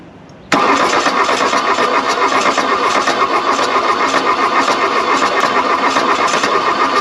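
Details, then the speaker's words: Damaged diesel at 40°F after belt reinstall, glow plugs cycled (possibly burnt out): harsh uneven cranking with one cylinder kicking off irregularly, never catching to idle; cranks but won't start. "telling you let's burn up a starter make this happen that was a cylinder kicking off"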